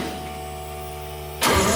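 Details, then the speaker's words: 60-year-old GMC military truck, cranking with electric fuel pump on after carburetor cleaning; even cranking whir, then sudden harsh clatter as starter hangs up; owners blame the starter, which gave trouble before. "yeah yeah that's the starter game caught up huh"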